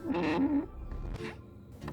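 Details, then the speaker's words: VW Polo Sedan clutch pedal giving a creaky, bleating squeak with each press, worse in hot weather, from a dry plastic pedal bushing; an earlier fix attempt was unsuccessful, so the pedal is dismantled to reach the bushing for lubrication. "думаю многим владельцам багов встречалась такая проблема как скрип педали сцепления сильную жару"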